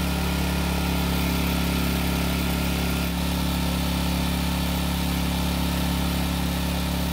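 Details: Generac generator, long stored and revived by carburetor work, runs a steady, even drone at constant speed on a light load (small space heater), no surging or misses; only a light-load check that it still works, running smoothly.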